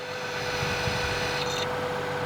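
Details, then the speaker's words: Old alternator from a Lexus, still charging electrically, heard through an electronic stethoscope: steady mid-pitched hum over a hissy whir from worn bearings, needing replacement soon. "but the old one as it's spinning you can hear the bearings humming that's that noise means it's time to change it sooner than later"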